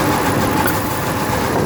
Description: 2008 Dodge ram 1500 rough idle, only codes multiple misfire.